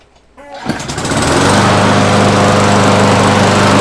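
Single-cylinder mower starts and settles into a steady but slow, low-pitched putter; governed speed is set too low.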